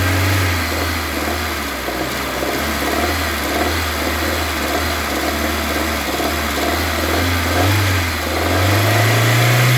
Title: Engine knock between 1500- 2000 RPM (citroen C3)